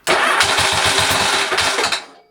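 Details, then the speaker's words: Motorcycle, after torquing the cam sprocket bolt and restarting: brief run with a loud, harsh, deafening clatter pulsing about six times a second before it cuts; the bolt loosened again immediately, loose cam sprocket bolt. "really strange noise deafening deafening sound I never heard it before"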